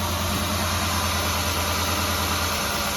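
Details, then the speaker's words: Ford 3.0 V6 Mazda Tribute idling with misfire code on cylinder five: uneven lumpy idle with wavering drone, running much worse after swapping coils so the problem moved; the cylinder-five ignition coil is faulty. "all right let's see if this that seems worse so I think the problem moved yeah that's running way worse"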